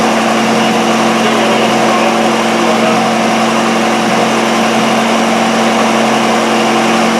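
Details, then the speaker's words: Miller Wildcat 350D diesel engine welder bought at auction as non-running, running on old diesel tank about 3/4 full: even steady engine drone, no knocks or misses; engine runs smoothly, welding output not yet tested. "It was probably 3/4 full of older stuff, but it seems to be running okay. So, we're just going to let it run and get rid of that. But the engine seems to run beauty."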